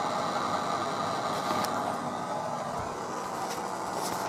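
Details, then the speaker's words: Computer audio line with only the left signal wire connected and no signal grounds, so grounding is only through the power ground. A steady high-pitched whine with a buzzy edge and faint hiss; source not yet found. "so i've only got the left signal connected i haven't got the left ground connected or any of the other grounds and as you can hear we've got this awful noise"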